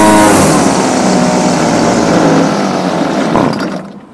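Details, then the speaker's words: Homelite UT20042A string trimmer with new C1U-H60 carburettor, warm, wouldn't idle: two-stroke at high revs with wavering pitch, then drops off and fades as carburettor mixture screws are set. "it has them now as I'm tuning the carburetor only be holding down the flatter once we get to the high"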